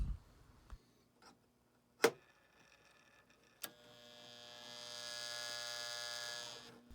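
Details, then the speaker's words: Rusted Marx 666 toy train locomotive, for parts, on track after polishing drive wheels and skid plate: steady low mains-type hum with no motor speed building; motor buzzing but not running, apparently stalled against a stuck E-unit reversing unit. "it's buzzing i can't believe it that means the motor is trying to come back to life i didn't think the motor was going to do anything i thought it would be completely dead"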